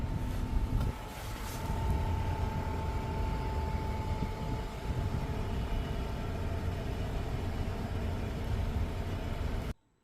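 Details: 2024 Mazda CX-90 PHEV Premium, 5,900 miles, switched off after driving in EV mode: loud steady low grinding buzz with faint high whine; first heard after its first dealer service with two recalls.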